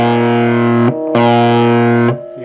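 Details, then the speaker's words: Fender Pro Junior guitar amp with new EL84 and preamp valves, unused for years, with low output: strummed chords turn fuzzy and harsh as volume is raised, a gritty edge on every note; distorting too early, source not yet found. "let's turn it up a bit that's quite distorted there"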